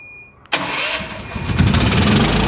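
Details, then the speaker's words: Home standby generator during test, started after pulling fuse to simulate outage, not run for a while: failed first crank, catches abruptly after cranking and runs unevenly, failed again on second attempt; owner suspects carburetor needs another cleaning. "there we go and then it didn't start again on our second attempt might need to do another carb clean on it"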